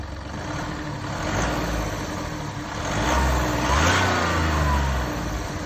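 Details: Mini Cooper D three-cylinder diesel idling, then revving: loose, uneven rattle riding under the engine note from a broken dual mass flywheel, which holds the clutch springs and fails through wear and tear.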